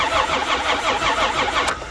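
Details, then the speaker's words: Caravan van engine cranked on a battery after hours of unseizing work and a welded oil pan: steady, even starter cranking about four pulses a second, no binding; turns over freely. "he's a cranker sounds like we got great potential"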